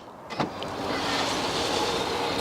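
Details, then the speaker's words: BMW 760Li (E65/E66) electric boot/trunk lid: steady motor whir labours without change but lacks power to raise the lid, which holds then stops; lift motor struggling, a long-standing fault on this car. "you can hear it, you can hear the motor trying to do its thing, but it just doesn't seem like it has enough power to lift it up."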